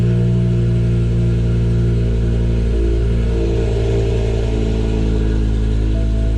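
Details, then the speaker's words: BMW M5 S85 engine after Vanos adaptation reset, still warming up toward 70°C for the Vanos test: a very loud, deep, steady drone with a brief rev change, excessively loud, cause not evident. "If you can even hear me or not. This thing's so freaking loud."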